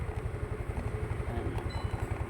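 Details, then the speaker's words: Rusi Rapid motorcycle unused for two years, fitted with a D-type carb: uneven low putter sags and stumbles after throttle release, idle dropping until it stalls; rusted carb, hard starting. "oh maririnig niyo unti-unti na siyang mabababa yung Menor para siyang naghahabol ay parang naghihingalo na ean ayun patay"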